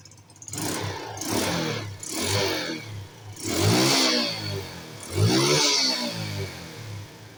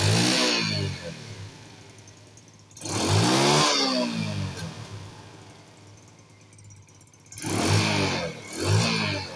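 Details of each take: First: Small carbureted scooter (Wave/Spark/Mio type) that had exhaust backfiring, after sealing the leak point with glue. Clean rev blips climb and fall back smoothly with no pops or bangs, so the backfire is cured. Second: Small carbureted four-stroke scooter (Wave/Spark/Mio) before the fix: repeated throttle blips, each falling off with a rough, crackly exhaust backfire on deceleration, caused by the secondary air injection system rather than the engine; the fix is plugging its pipe with a ball or a 12/14 mm nut.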